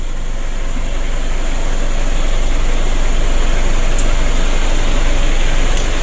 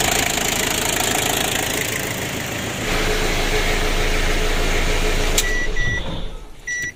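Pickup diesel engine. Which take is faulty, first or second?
first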